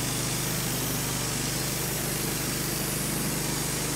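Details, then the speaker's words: Wood-Mizer LT15 sawmill engine while sawing an American beech log; steady rapid beat under heavy hiss, speed seeming to rise and fall slightly. Recurring surging and sputtering over recent uses, cause unknown. "We've had troubles with it the last few times, sputtering, and you hear it going up and down in the background."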